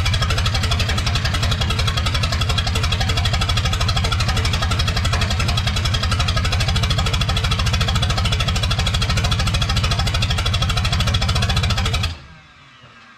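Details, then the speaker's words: 1986 Lull 644 Highlander II telehandler, sat for many years; hard, steady knock keeping pace with idle for twelve seconds until shutdown; oil full of metal glitter, engine shot, to be pulled. "oil looks like stripper glitter oh yeah it's more sparkly than [ __ ] bass boat paint yeah she's poached so i guess in the next video we'll pull the motor out"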